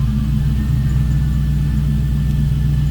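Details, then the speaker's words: 1934 Buick Victoria street rod, after a cold start. Steady, even low rumble with no knocks or misses. Normal, healthy idle. "Slip around to the back so you can hear this run. and a great sounding car. Nothing over the top."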